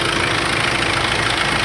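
Steady metallic rattle rides over a cold diesel idle; timing chain possible but not proven.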